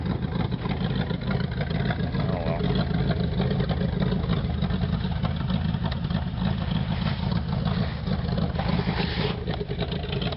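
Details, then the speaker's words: 1986 Oldsmobile Cutlass Supreme 305 Chevrolet V8 after 60 days parked, idling as choke comes off: uneven loping stumbling beat about three per second; rough idle, sticking choke or carburetor issue suspected, not confirmed. "It's definitely running rough. I think the choke might be sticking on or something. Really, really running rough now."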